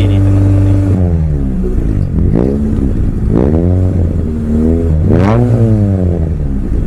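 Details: Mitsubishi Lancer CK4 with a damaged air flow sensor: revs surge and sag unevenly between throttle blips as the engine hunts to stay running and stalls again when throttle is eased off; faulty air flow sensor.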